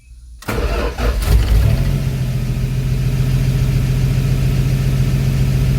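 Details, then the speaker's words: 1974 Dodge D100 six-cylinder after tune-up with cracked parts replaced, choke on, in neutral: cranks, catches within a second and settles to a smooth, even idle around 800 rpm, which the owner calls about right; normal idle. "And it says it's idling at about 800 RPM. And that's probably about right. I told you it sounded about right."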